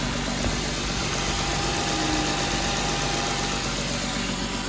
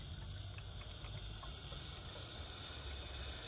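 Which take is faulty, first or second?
second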